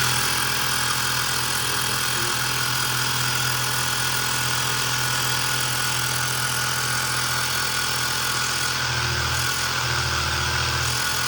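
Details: Woscher tyre inflator that failed within three months, with a burnt PCB component, run on a bench power supply during a teardown repair. The small piston compressor makes a steady buzzing chatter at even speed, with a brief load change near the end, working again.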